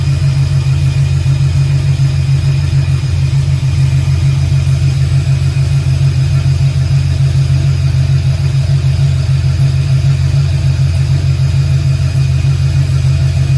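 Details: 1968 Camaro V8, second start-up, Holley EFI lacking correct injector data, idle still to be adjusted: deep steady burble at fast even idle, no knocks or misses; slightly smoky from oil put in cylinders, oil pressure shows error; normal idle.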